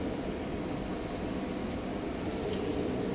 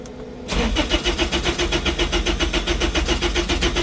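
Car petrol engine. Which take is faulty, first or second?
second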